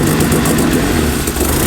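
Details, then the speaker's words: Turbo-converted van petrol engine on first start: a lumpy, wavering idle drone. Blamed on a massive vacuum leak and wrong, oversized injectors the ECU doesn't account for. "You have a massive vacuum leak, and you have the wrong injectors too."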